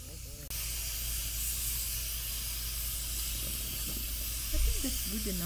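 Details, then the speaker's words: Afghan Kazan aluminum pressure cooker on a wood campfire, up to pressure about 40 minutes from dinner: constant even steam hiss from the vent with no sputter or surging; normal venting. "the steam is coming out pressure's built up you should back off the flame a little bit just maintain it it doesn't need to be on high the whole time"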